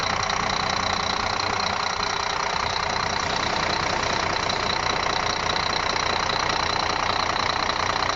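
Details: Scania D12 truck diesel at idle on its first start after an engine rebuild: even, steady clatter with a regular beat and no knocks or misses. Sounds healthy.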